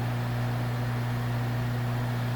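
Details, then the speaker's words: Diffusion-pumped glass vacuum line, pump after opening a valve to the manifold: noisier as it pumps down then quieter, even low hum, no knocking or gurgle; normal running. "you can hear it making noise and then getting quieter"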